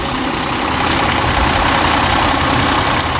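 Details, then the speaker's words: 2002-2006 Toyota Camry 3.0L V6 warmed up, ECT sensor connector plugged back in, idle around 700-800 rpm and lower: even, settled dense rumble with no hunting or surging; normal warm idle. "idle actually is pretty good here maybe at eight four is like seven um so put it back on see how it's uh it's a lower idle"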